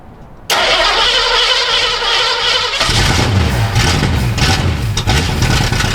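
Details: Sixties Ford Galaxie project V8 with loud open exhaust, started with the throttle worked while in gear (rear wheels spinning). It catches into a sluggish, lumpy, lazy rumble that won't pick up crisply; retarded ignition timing and rich carburetor, needs more timing.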